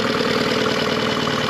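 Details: New 2022 Yamaha T9.9hp four-stroke outboard kicker idling after its first oil change, run to circulate the oil: steady, even idle with a quick uniform firing beat, no knocks or misses; running cleanly.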